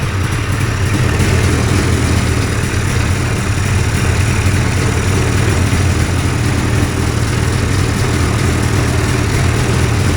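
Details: Two-stroke hovercraft engine, newly fitted coil, carbs sorted after trial and error, holds a steady, even low rumble at constant idle, no misses or knocks, while warming, fan not yet hooked up; normal idle.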